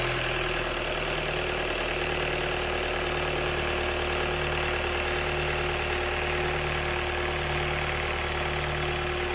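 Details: 2012 Kia Sportage 2.0 CRDi diesel (136PS, AWD automatic), cold start after replacing glow plug plate 367202F000: steady, even diesel clatter at idle, smooth rhythm, no misses or hunting. Normal cold idle, cold start problem fixed.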